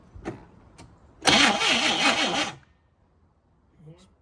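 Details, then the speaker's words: 1969 Chevrolet Caprice 427 four-speed sitting since 1988, first start attempt: about a second of pulsing starter cranking that never catches; engine not seized but no spark, traced to bad distributor rotor. "it's moving but it's not uh not making any Spark"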